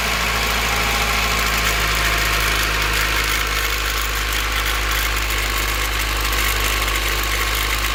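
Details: Cold start: the petrol engine idles steadily with a fast, light metallic rattle, thought to come from the distributor; replacing the distributor didn't help, the LMAs check OK and valve lash is adjusted, yet the rattle remains; cause unknown.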